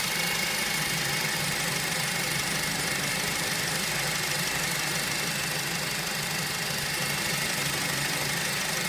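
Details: Honda Civic FN2 at idle: steady idle in a dense hiss with a fine metallic rattle and faint whine running through it; cause not pinned down; whining rattle at idle.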